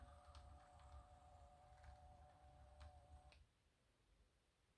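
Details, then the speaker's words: Rapido Amtrak E8 HO scale DCC locomotive running with sound off, forward then reverse: faint steady motor whine and hum, no gear grinding; quiet, healthy drivetrain. "it's just the motor kind of crying a little bit so we're going to reverse you can hear the that motor humming a little bit but drivetrain gear wise super quiet"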